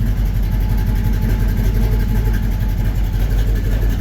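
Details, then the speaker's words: 1954 Chevy 3100 engine at idle: low lumpy uneven beat, about three pulses a second, stumbling now and then; owner finds that cylinder's injector working but suspects a spark plug not sparking; misfire. "We've got, so the injector's working, we just don't have a, we got a spark plug not sparking."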